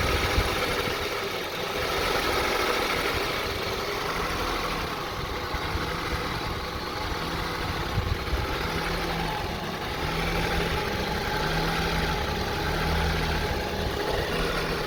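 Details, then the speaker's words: 2002 Honda CR-V 2.4L, which had about seven fault codes when bought, idles very roughly: rpm rises and sags in slow waves with an uneven, lumpy beat, nearly stalling; rough idle with surging rpm. "It has a very rough idling. The RPM goes up and down, and now we're gonna start it. You can listen and hear the sound of the engine."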